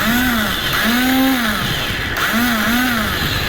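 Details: Royal Enfield Bullet Classic self-starter whines up and down in pitch with each press after cleaning carbon from the starter switch and shimming its pins; motor spins freely with no cranking thumps and engine won't start, one-way starter clutch failed, to be replaced.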